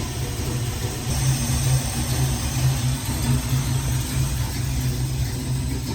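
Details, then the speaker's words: Chevy C20 V8 revival with timing just set, valve cover off and open headers: steady, even low rumble with smooth firing rhythm and no knocks or misses; smoke from missing valve cover only; idles cleanly. "that smoke is just from the valve cover being off we're all in the headers don't worry about it and it sounds good"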